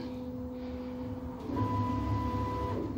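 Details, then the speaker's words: Home-built CO2 laser cutter running a job before mirrors are installed: whirring stepper tones stepping in pitch with buzzy vibration underneath; gantry vibration noise expected to ease as it wears in. "once the mirrors are installed and chances are that vibration noise would ease anyway be as it as it wears in"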